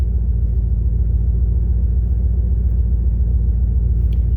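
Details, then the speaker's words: 1998 Dodge Durango single-cam V8 at about 285,772 miles, warm idle at operating temperature after timing chain, coolant, oil and filter replacement for a P0300 misfire. The rumble is deep and even at about 3.5 pulses per second, with no misses; it is idling cleanly. "okay you've been running about five ten minutes she's up to operating temperature"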